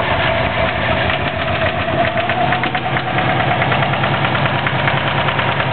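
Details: 2004 Subaru WRX engine, stock turbo, tuned to 22 psi boost, heavy knock after doing donuts on pavement: loud heavy knocking through a lumpy idle, steady beat; owner suspects rod knock, unconfirmed.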